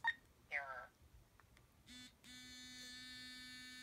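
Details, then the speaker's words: Currency reader switched on with no bill inserted: after a couple of short chirps, a steady low buzz holds about 1.5 seconds then stops; normal no-bill vibration-mode signal. "vibration mode you hear it vibrate for a long time and that's tone mode"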